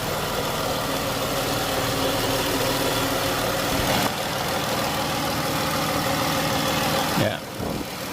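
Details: 2014 Chrysler 300 3.6, after repair of an oil pressure sensor engine-light fault: smooth, even idle hum with steady pitch and no ticks or misses. No leaks, engine light off. Normal idle.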